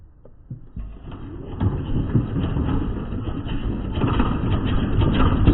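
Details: Small lawnmower engine started after fitting a new replacement blade, oil settled in crankcase; catches and runs with an uneven, shaky thrum near two beats per second, vibrating from a bent crankshaft/blade shaft.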